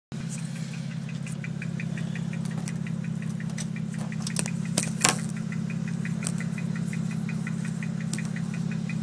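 Low steady engine drone with a light, slightly uneven ticking about three to four times a second; the engine is stumbling on a misfire.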